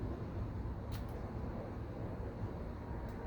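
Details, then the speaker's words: 2006 Ducati Monster STR 800 after fuel pump replacement, full tank, first start attempt: steady low electric hum of the new pump priming at key-on with a couple of faint clicks. "see if we can give a heel pump prying yep you hear the pump running"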